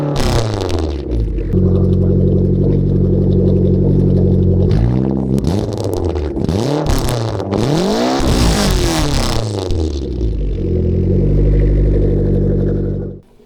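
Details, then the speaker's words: Free Mitsubishi Eclipse over 30 years old, burns excess oil and fouls plugs, first start after nearly a year sitting, new battery: fires, idles, revs rise and fall smoothly, back to idle; normal start and revving. "We're gonna call that a success. Haven't started the car in very nearly a year, and it seems like it's working perfectly fine."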